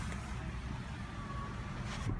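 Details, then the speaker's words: Passenger power window on auto-up, shown for comparison with a driver's window that has lost its auto-up calibration: a soft, steady motor hum with no stalling or strain as the glass travels fully up, normal operation. "as you can tell if I hit auto up on the driver's window once your passenger window first so you can see what actually supposed to happen all the way up"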